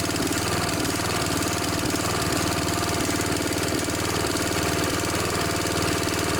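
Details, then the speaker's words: Snapper SR1028 riding mower, Briggs & Stratton flathead, warm with air filter fitted, before mixture screw adjustment: steady putter with even exhaust beat, no misses or knocks; running well. "sounds pretty good once it's warmed up so it sounds pretty good"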